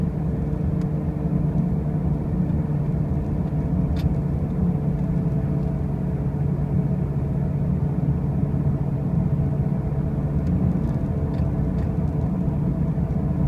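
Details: 2005 Pontiac Grand Prix with brand new wheel bearings and new tires: a steady, heavy low drone and rumble throughout while driving, with no clear knock; a loud droning noise whose source is unclear.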